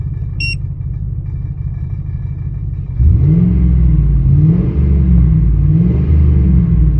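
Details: 2000 Ford Expedition idling: low uneven rumble with loping, irregular beat about three pulses a second, heavier midway; rough idle, cause unclear.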